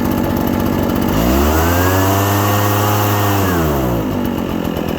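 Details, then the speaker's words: Two-stroke engine without choke, revved after idling: idle rises into a blubbery, uneven rev that hangs and sags before dropping back; loading up, running rich with excess fuel, clearing after repeated throttle blips. "Now we give it a little bit to burn off that excess gas. Try it again. Now we can hear that it's running a little bit rich."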